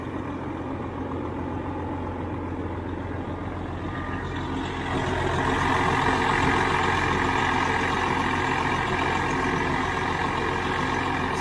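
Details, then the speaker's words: Twenty-year-old truck diesel with about 2 million miles, idling in neutral with the clutch down: even rumble that firms up after a few seconds, no knocks or misses; it sounds really good. "That's called 2 million miles right there. Listen to that thing. Actually, it sounds really good."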